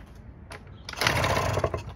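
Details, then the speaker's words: 1986 Honda Spree NQ50 two-stroke scooter with 2,000 miles, sat 20 years, spark confirmed and premix poured down the plug hole: a few weak coughs, about a second of buzzy firing, then it stalls; water later found in the air cleaner. "Oh. Well, it started for a second."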